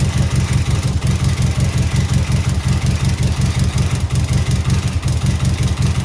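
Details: 2003 Subaru WRX rally project engine at idle: uneven, lumpy idle with a loping stumble about three times a second; misfire, cause not pinned down, owner wonders about compression among other possibilities.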